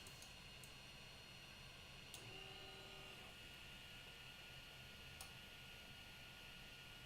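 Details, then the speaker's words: 3D printer after SKR Mini E3 v2.0 board upgrade on Marlin 2.0 firmware: soft steady fan hiss dominates with only faint brief motor whirs while homing and probing; steppers much quieter than before, fan louder than motors. "you can still hear it but it is much quieter than it was before i definitely hear the fan more than anything"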